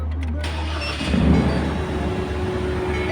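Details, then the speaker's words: Ford Ranger T7 diesel on cold start with an air intake temperature sensor high-voltage fault; it settles into a fast steady roar well above normal idle, about 2500 rpm, with A/C compressor cut. "Nampak dia mengaum tinggi timing. Timing tinggi. Nampak? Ni enjin tengah sejuk."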